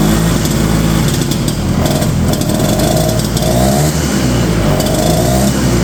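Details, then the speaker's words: 1970 Ski-Doo Olympique 335 two-stroke snowmobile: rough uneven burble that falters and bogs as throttle opens, running way too rich at idle; owner suspects leaking carburetor diaphragms/check valves letting too much fuel through with the high-speed jet open. "Then I come back down to the idle and it's running way too rich. So basically, I think what's going on is some of those little diaphragms in there and stuff I think are kind of leaking."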